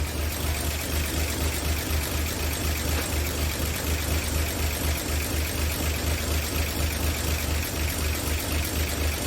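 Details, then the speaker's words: 1959 NAPCO Chevy Apache 1-ton, freshly rebuilt 235 six-cylinder at first startup after oil prime: no leaks, oil pressure up, steady even low idle thump with no knocks, ticks or stumbles; normal idle. "so i can swing turns like a kitten no leaks we got oil pressure fire's right up"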